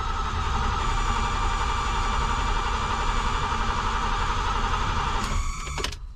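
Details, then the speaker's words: BMW E12 after fuel tank cleaning and new fuel pump and filter fitted, first start with a dry fuel system: starter churns steadily with a whirring tone for about five seconds but the engine never catches; a leak at either a fuel line from the pump or its hose clamp was later found. "all right here goes nothing i'm gonna crank her over no fuel so i'm sure it'll take a little bit"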